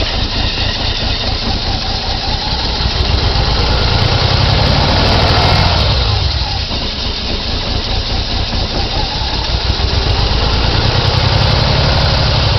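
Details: 1990 BMW E34 520i, M20B20 engine with LPG/petrol conversion, cold engine: uneven, lumpy idle hunting up and dipping with no steady beat; won't start on LPG, barely starts on petrol. Owner suspects failing fuel pump; fuel light always on, gauge dead.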